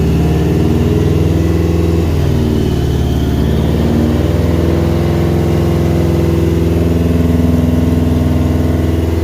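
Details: Subaru Brat with WRX engine swap, finally started after cleaning cam sensors and fuse checks (exact cause unknown): steady, even idle with a light rev blip, no misses or knocks. Normal running.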